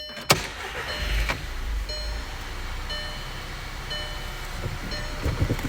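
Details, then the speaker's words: 2009 VW CC 2.0T after the PCV hose was taped off, which stopped the fluctuating idle and whistle (broken PCV valve seal, codes P0507): smooth steady idle, no whistle, a chime sounding about once a second. "here we got a smooth idle [Music] no whistling sound all that noise is coming right out of this PCV there hope this helps everybody out"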